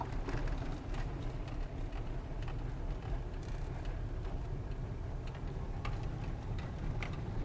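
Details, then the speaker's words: New Lada Granta liftback, interior with sound insulation, recorded in the cabin while driving: steady low road and engine hum, dash panel silent, only the alarm unit knocking against the steering column; quiet cabin, no squeaks or rattles. "в принципе панель не издаёт никаких звуков единственно болтаю сигнализация стукает рулевую колонку А так в принципе никаких шумов скрипов ничего"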